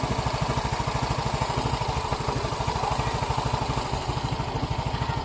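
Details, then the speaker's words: Yamaha Mio i 125 scooter after repair of head ticking and piston slap, problem confirmed in cylinder: even putt-putt idle about three beats a second, no knock or tap, sounding like original brand new. "yun oh balik na sa original ang inig at saka tulog ng kanyang makina"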